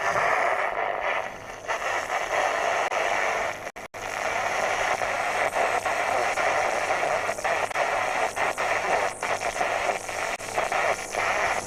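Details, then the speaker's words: Hacker VHF Herald RP37/37A radio under repair, distorted hit-and-miss signal at C21; mostly hiss and crackle with faint choppy signal fragments; oscillator suspected way out; weak garbled reception. "okay got distorted at c21 if you can hear that now i've got distorted signal at c21 there bit hit and miss my g but hmm maybe the oscillator is just way out"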